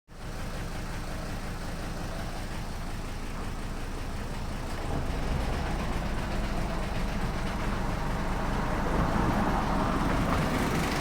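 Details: Mercedes OM602 diesel, idle knob on injection pump turned down from 1100 to 750 rpm: uneven loping idle about two pulses a second with a weird noise near belt tensioner and water pump; source undetermined.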